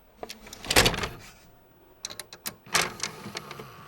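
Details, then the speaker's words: Sony KV-13VM42 13-inch TV-VCR combo (made July 2000), tape loading test: motor whirs and sharp clicks start, stop and restart irregularly; the mechanism tries to load, stalls, unloads and stalls again, though it still ejects. "it looks like it tries to load and then it stalls then it unloads then it sounds like a stalls again"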